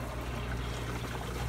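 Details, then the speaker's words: Fluval FX5 canister filter with 5/8-inch surface skimmer on its 1-inch intake: strong suction pulls air into the canister, steady low pump hum with watery gurgling and bubbling, risking burning out the motor. "So the FX5 has such a strong suction that it's putting air in the canister, and while that will take care of the surface for me, I'm gonna burn up my motor. If I'm not careful, you can hear it down here gurgling. Hear all the bubbles."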